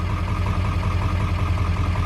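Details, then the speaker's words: Ford 7.3 Powerstroke diesel at idle, first start after IPR valve replacement and fuel work: a steady, even low clatter with no misses. It may stutter at first from air in the system but smoothed out quickly; IPR reads 20.7% at idle. "started for the first time, and whenever you do something with the fuel or whatever, it's probably gonna stutter a little bit whenever you first start it, because it's gonna get a little bit of air in the system. But it should smoothen out pretty quickly, which mine has."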